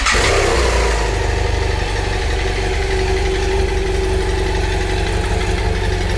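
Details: BMW F800GS engine starting and settling into idle with an uneven knocking patter, roughly three to four a second, riding the exhaust beat; abnormal engine noise at idle, cause unclear.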